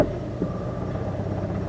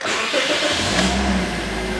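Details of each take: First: 2009 Scion xA with no power, idling in gear with headlights on: rough, uneven stumbling idle from an engine misfire, with flickering battery light and check engine light that then starts flashing. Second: 2009 Scion with flashing engine light, no power and battery light, at about 246k miles: engine catches and settles into a smooth, even idle with no stumble, so no ignition coil testing needed.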